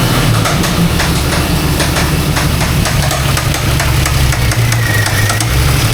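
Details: Mangnaro engine running with gearbox, clutch and pressure plate ruled out and the knock occurring sporadically: sharp irregular knocks above the low rumble; the knock is inside the engine, cause not yet found.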